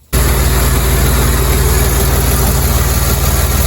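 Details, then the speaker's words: 2007 Jeep Commander after rack and pinion, power steering pump and rear hose replacement: smooth deep even idle, no whine or groan from steering; earlier noise gone after hose change. "Now with that hose changed in the back, we don't have that noise anymore. Everything's all good."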